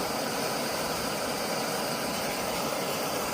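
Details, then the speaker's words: Optimus Nova stove after cleaning the jet with carb cleaner and compressed air to cure rich, weak running: steady, even hiss-roar at full flame with no sputter, much quieter than before, then turned to simmer. Running cleanly. "much much much quieter isn't it and there's the simmer"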